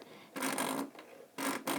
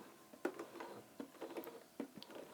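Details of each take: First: Vintage Bernina 1230 sewing machine before cleaning: dry scratchy rasping rubbing sound each time the needle goes up and down instead of a smooth hum; not normal, taken as a sign it needs cleaning, cause not confirmed. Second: Vintage Bernina 1230 sewing machine after removing lint from bobbin area, hand wheel turned then foot pedal: only soft light needle and hook ticks, rubbing noise gone, smooth purr; back to normal, before oiling.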